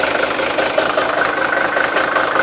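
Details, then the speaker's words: Mercedes-Benz S123 300TD turbodiesel (W123), after radiator work for a coolant leak: started with the radiator cap off to burp excess air before going back on the road. Steady, even diesel clatter at idle with no misses or extra knocks. Normal idle. "I'm just going to start it up, take the cap off and make sure that it burps any excessive air."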